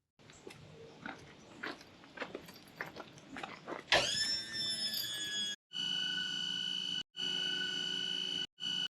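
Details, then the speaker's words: Caravan automatic levelling system, Retract All pressed on the control unit: after a few clicks, a steady high motor whine in several bursts with short gaps as the back jacks retract first, then the front; normal retract cycle. "ఆ శబ్దం వినిపిస్తుందా చూడండి ఇప్పుడు retract అవుతోంది. ముందుగా back retract అవుతుంది. తర్వాత front retract అవుతుంది."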